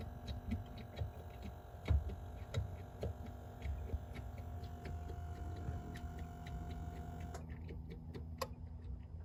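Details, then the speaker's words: 2017 Chevrolet Silverado High Country 6.2 after AFM lifter replacement, engine hot and just shut off: faint irregular ticking about once a second under a low hum; suspected head gaskets defective or installed backwards restricting coolant. "Okay, so the motor's warmed up. It's making a noise. It's not yet, please. So go ahead and turn it off. It's still making a noise after the motor's off."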